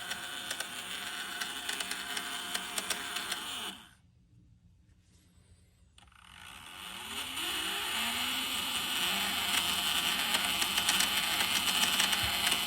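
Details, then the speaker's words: Dolphin Nautilus Plus pool cleaner self-test after re-soldering loose brush-board wire in impeller motor, motors electrically connected only: steady high whir drops briefly, then both motors spin back up to an even pitch; normal motor operation. "So here it goes. So both motors are running."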